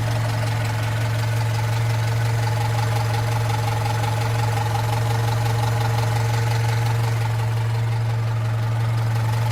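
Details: Opel Rekord P1 at steady idle with a light, fairly quick clacking, about three a second; source of the clacking unclear.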